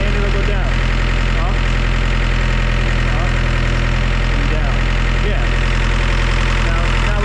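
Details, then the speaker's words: Gehl CTL60 skid steer from about 2000 with auxiliary hydraulics deadheading from start-up: the diesel idles under load with a steady hydraulic groan and a beat of about four per second; third-function hydraulics stay on, electrical or mechanical cause unconfirmed. "I don't know for some reason the uh the third function Hydraulics are just they're staying on"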